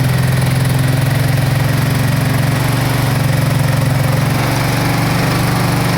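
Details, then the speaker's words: 2005 Kawasaki Brute Force 750 V-twin ATV, unrun about four years, new plugs, petcock and fuel line; cold idle on choke at about 20 degrees, loud, steady thump without stumbling; normal. "other than that i mean she's come to life turn the choke on"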